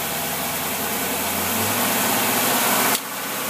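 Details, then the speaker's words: Predator small single-cylinder engine being tested with its carburetor: a steady, even idle at about 800 rpm with no hunting or misses, and the mixture sounds right; it could idle even lower. Normal idle. "okay can you see you're running about 800 it'll even go lower than that"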